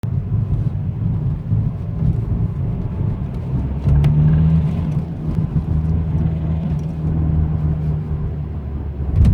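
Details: BMW 123d M Sport diesel driving on the road; deep drone with a humming tone that swells under acceleration and when backing off, cause unknown.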